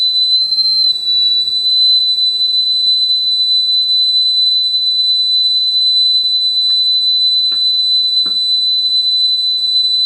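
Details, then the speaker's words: Sony TC-850 reel-to-reel deck, capacitors already replaced, after speed adjustment: clean steady 8 kHz test tone holds pitch without wavering or drift, exactly on speed. "there we go exactly on speed"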